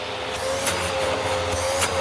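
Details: Curb-find Bissell PowerClean upright vacuum with abused filters, suspected worn belt and iffy bearings: hose test, motor whines at steady mid pitch and shifts briefly when hose is blocked; suction and motor response seem normal.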